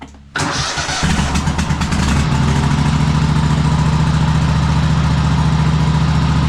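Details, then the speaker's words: Cub Cadet Super-LT1554 lawn tractor, 500+ hours, after head gasket replacement, carburetor cleaning and adjustment: cranks briefly, starts quickly and settles into a strong, even low idle with no misfires or knocks; engine sounds healthy. "This is completely acceptable. And uh engine sounds really good."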